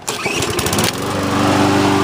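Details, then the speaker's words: Briggs & Stratton engine with auto-choke, after service, hot restart around 85°F: quick pull, catches within a second and settles into a steady even run; auto-choke functioning correctly; normal hot start. "and it fires up perfect fires up like a gem so it's running great ready to go and it has been demonstrated to function correctly when the engine is hot with the auto choke functioning correctly"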